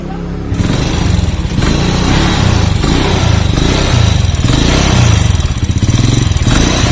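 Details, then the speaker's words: Honda Supra Fit motorcycle that stalls when hot, kicks hard and sounds dry: harsh, dry, uneven putter that pulses and sags about once a second and dies without throttle; oil starvation to the cylinder head, oil not reaching the top end. "Supra Fit ini datang hidup, tapi kendalanya waktu panas dia sering mati, di engkol pun berat, suaranya kasar seperti garing seperti itu ya teman-teman."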